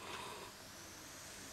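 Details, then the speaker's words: Logitech powered speaker amplifier run from a 9V battery: faint, steady hiss with no hum or crackle from a temporarily wired test speaker; the amplifier is producing hiss. "don't know if you can hear that but we are getting a hiss out of the amplifier"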